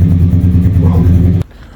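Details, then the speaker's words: 1997 Ford EL Fairmont Ghia 4.0 inline-six with a Crow Stage 4 camshaft, still untuned, throttle held slightly open: a deep, lumpy, uneven idle with popping, running far too rich and idling too low. "so I think it's still a little bit too rich you can hear it popping and all sorts so it's still dumping a hell of a lot of fuel in there"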